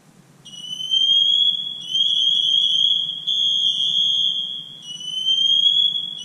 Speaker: that's noisy it has to be noisy so that we can hear him from across the house and find him